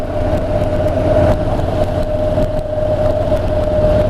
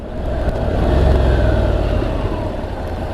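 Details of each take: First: Honda NC750X DCT ridden around town, probably in fourth or fifth gear: a steady mid-pitched whine holds over the road roar. It is an annoying tyre noise from the front tyre. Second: Honda NC750X with DCT gearbox, riding in town: revs jump quickly, then hold a steady drone as the bike slows. This is a clean downshift manually overriding the automatic mode for normal engine braking.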